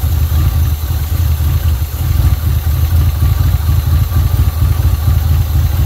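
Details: 1980 Pontiac Trans Am Turbo 301 V8 idling after its first start in about 18 years: a deep, steady, even loping rumble with no knocks or ticks. Great-running motor, normal idle.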